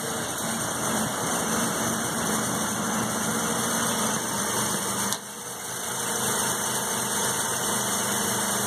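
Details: 1984 Mazda RX7 12A rotary cold start after sitting 13 years, 47°F block, on choke: steady rotary idle with even buzz, brief dip midway, then recovers and keeps running smoothly cold.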